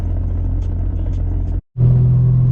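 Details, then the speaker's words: 2JZ-swapped project car on a long road trip, heard while driving: a deep, steady drone, then a firm low hum from the loud CD009 transmission; noisy gearbox under load, no specific fault found. "but yeah just this I mean these CDO nines man they're loud I think you guys can hear that"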